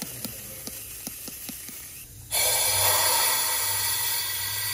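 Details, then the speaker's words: Diesel truck boost leak test with a detector on the turbo inlet and the wastegate hose leak plugged: a few faint ticks, then a loud steady hiss of escaping air, a further boost leak found around the MAP hose. "so once we plug that we have another leak somewhere and it's coming from around here"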